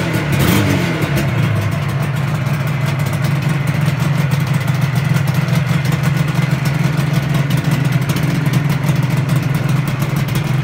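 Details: 1985 Yamaha RD350 YPVS two-stroke at start-up after rebuild: low, steady two-stroke burble holding an even idle with no misses or knocks; healthy normal idle.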